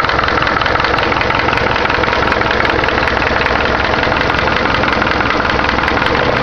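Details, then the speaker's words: Engine of the owner's Caravan 4-cylinder (called "Cargo 76"), first start of the day after returning from work: a busy, rapid knocking rides steadily over the idle. It is an internal engine knock of unclear cause. "Fala galera, fazer um vídeo aqui mostrando um barulho estranho que tá no motor da minha Cargo 76."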